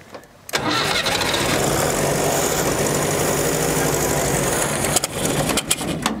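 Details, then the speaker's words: 1965 Datsun 320 pickup, abandoned for over 30 years, with a gravity-fed fuel supply, catches and settles into a rough idle that sags and surges; it keeps running only while choked: runs only with choke. "seems like it's going to have to stay choked for a little while"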